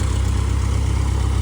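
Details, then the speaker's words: Aircraft engine run with a brand-new propeller being checked for vibration; deep steady low drone with even pulse, nothing rough or knocking, smooth healthy idle. "She's sounding good. That baby's chopping air."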